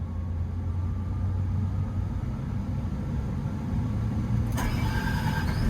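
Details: Develon/Mecalac construction machine diesel after the EPOS controller was swapped in. It catches cleanly and settles into an even, deep idle with a steady low rumble and no misses or knocks, confirming the controller fault was fixed.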